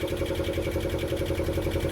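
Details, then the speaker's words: Roughly 40-year-old diesel of unknown make and model in a Snapdragon 24 boat, just got running: even, steady diesel chug at idle with a regular low beat, no knocks or misses; normal idle. "so just got the engine running got seot working it's good to me"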